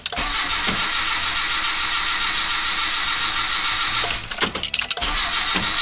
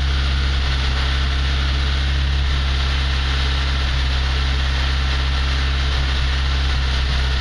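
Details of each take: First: Slavuta 1.2 carbureted car on 2nd-generation LPG, cold engine in garage at sub-zero temperature (about -11°C outside), starting on gas: starter spins with steady churning whir and a few uneven puffs but engine never catches; battery draining. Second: ZAZ Slavuta 1.2 carburetted engine with 2nd-generation LPG kit, cold winter start on gas (about -11°C outside), reducer warmed to around body temperature, clutch held while warming: low even idle drone, steady firing, no misses or knocks; normal cold idle.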